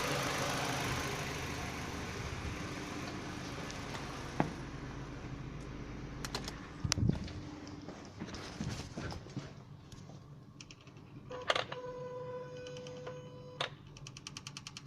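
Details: Ford Focus II 1.6 Ti-VCT: a few seconds after engine shutdown, light irregular clicks and brief fast ticking come from the VCT unit. The owner asks whether this is normal.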